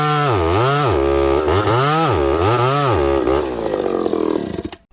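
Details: Ported, piped vintage Homelite 922 chainsaw cutting wood: pitch swings up and down in the cut, then sags and fades out; stumbling, losing power under load, owner has a suspicion and will pull the muffler, cause unconfirmed.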